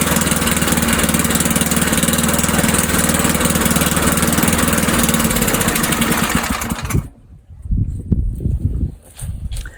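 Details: Old Sears Craftsman Eager 1 mower, single-cylinder Tecumseh engine, restarted without priming, throttle on low; picks up and runs steadily for several seconds before shutting off, starting and running normally.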